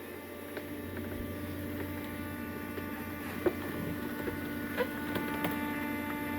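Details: Cummins-swapped squarebody Chevy diesel truck after installing dual plastic fuel tanks with one filler neck: faint, steady electric lift pump hum at even pitch, no surging or rattle, sounds like it's pulling fuel, priming normally.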